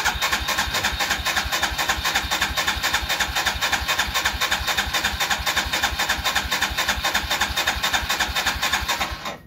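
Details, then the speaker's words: Royal Enfield Himalayan single-cylinder started in hot weather fires steadily at about four beats a second for several seconds then shuts off by itself; owner reports cut-outs while riding, suspects fuel injector or battery issues; stalling after start. "आप देख रहे हैं आवाज इसकी बिल्कुल आहिस्ता से आवाज आ रही और य कटफ हो जाएगी पता नहीं क्या प्रॉब्लम"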